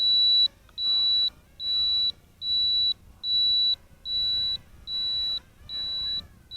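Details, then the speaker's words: Eachine 3D X4 quadcopter, in flight outdoors: after pressing the left then the right button, it gives evenly spaced high beeps (a bit over one a second) over faint rotor hiss, the inverted-flight mode warning before it flips. "you press the left button first and then the right button then you'll hear a beeping and then you move the pitch roll stick and it'll flip"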